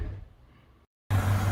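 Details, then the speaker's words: 1971 Dodge Coronet police car, 383 four-barrel big-block V8, first run after new fuel pump, lines and tank work: deep steady idle, healthy after a brief dropout; slight smoke from the number eight cylinder on the driver's side pipe, which he thinks had bad plugs. "idling really nice a little bit of smoke coming out the driver's side pipe so that's number eight cylinder"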